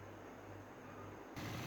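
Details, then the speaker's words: 2013 Toyota Aqua hybrid, engine-only running after fixing misfire caused by water inside an ignition coil: steady, even low idle hum, no stumbles or misfires, check-engine fault cleared. "आप देख रहे हैं इंजन से स्टार्ट है माशाल्लाह, तो स्मूथ है।"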